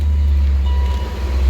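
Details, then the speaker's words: BMW E39 M5 cold start after timing chain tensioner replacement; it previously started loud with chain rattle. Now it catches and settles into a steady, even rumble with no rattle or slap; normal cold start. "That shit starts mint, no slapping at all. Beautiful."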